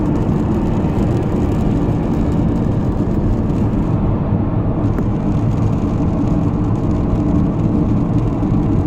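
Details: Car driving at cruising speed with a steady low hum from the engine/front under road and engine noise; heard from 15 km/h, clearest around 80 km/h, exact source not located.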